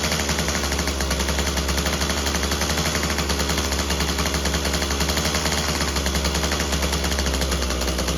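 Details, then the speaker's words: Craftsman WC 210 two-stroke after replacing its broken electric starter: harsh, rapid popping buzz that stutters unevenly instead of holding a clean note. It runs rough and needs more tuning. Cause suspected, not confirmed. "Well, sounds like we got a little bit more tuning to do."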